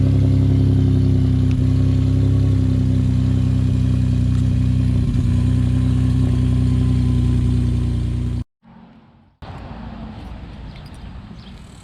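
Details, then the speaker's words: Ford F-150 3.5L EcoBoost, real cold start after sitting overnight, after several days on full synthetic oil with Lucas heavy-duty oil stabilizer: a steady, smooth idle with no timing chain cold-start rattle. "all right guys so I'm very excited to let y'all know that after multiple days of having the Lucas heavy-duty oil stabilizer as well as full synthetic oil in my f150 we have not experienced a cold start rattle noise"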